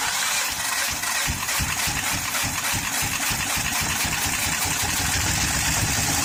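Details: 2013 Honda Pilot J35 V6 with bent valves after jumped timing belt; loud uneven engine note, irregular pulse around three beats a second, smoking; cylinders possibly also flooded. Rough running.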